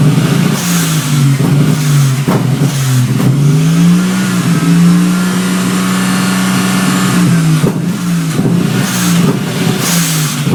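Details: Toyota 1G-GTE with EMS 4424 Stinger ECU and 7M-GTE 440cc injectors, hard to start after rewiring for an LC-1 wideband controller: uneven revving, misfire and sharp exhaust backfire pops when throttle is blipped, worse stabbing than slowly opening throttle.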